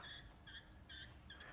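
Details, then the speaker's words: TH400 transmission on the bench, sprag turned by hand: short thin squeaks about every 0.4 seconds, indicating a normal standard roller-clutch sprag, not the 34-element style. "That tells me it just has a normal Sprite style in there."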